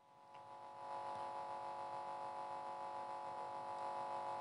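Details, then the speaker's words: Kenwood L-07T FM tuner tuned to a 97 MHz generator signal, reception parameters fine (zero detector, maximum signal), yet the speakers give a steady multi-tone buzzing hum; owner plans to clean contacts with chemicals. "udało się uchwycić usterkę naszym tunerze jak widzicie wszystko jest okej parametry odbioru są zero detektora sygnał maksymalny z generatora 97km megaherców wszystko niby Okej a w głośnikach słyszymy"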